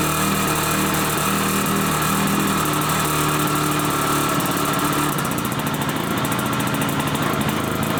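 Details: 1981 Suzuki GT250 X7 two-stroke twin, barn find that had been seized, first start after a full rebuild using air screw tweaks and easy start: lumpy, uneven half-strength idle; running on one cylinder, carburettor issue suspected.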